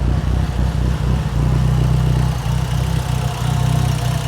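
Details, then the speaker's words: Mitsubishi Evo 8 with new motor after fixing its oil leak, cooling system running plain water: steady even low idle with a smooth rumble, no knocks, misses or ticking; idling cleanly, no leaks, no smoke yet despite oil in intake manifold. "I was aware, that was the only issue the car was having, was just that oil leak. So now we should be able to move on and hit a first drive here shortly. is running very, very nice."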